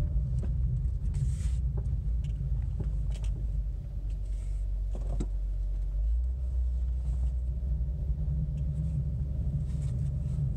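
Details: 2005 Buick Century while driving: low, continuous rumble under road noise with no clear rhythm; cause unclear, owner asks whether it is a wheel bearing or brake pads.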